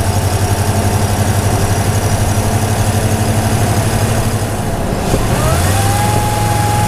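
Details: Toyota Tundra TRD Pro with supercharger, microphone hung in the engine bay: engine rumble with thin high tone climbing as revs rise, turbo-diesel-like; supercharger whistle.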